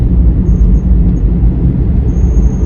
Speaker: oh can you hear that whistling my car's making a whistling noise I don't know what it is it probably will be expensive that's all I know seems to be when I accelerate